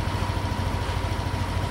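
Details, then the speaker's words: Yamaha Aerox V1 scooter, with throttle body, MAP sensor and throttle position sensor cleaned and ISC reset, warming up: smooth, even low putter at steady idle, no misses, hunting or knocks; RPM back to normal. "So yan, umaandar na po siya. Normal na po ulit yung kanyang RPM. Dahil nilinis na po natin, pati ISC, na-reset na po natin."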